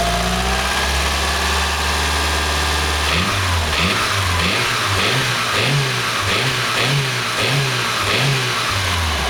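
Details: Mitsubishi 4G63 MIVEC 2.3-litre petrol engine idling then revving, with a dull piston-slap-like knock pulsing through that rises and falls with revs; source never identified.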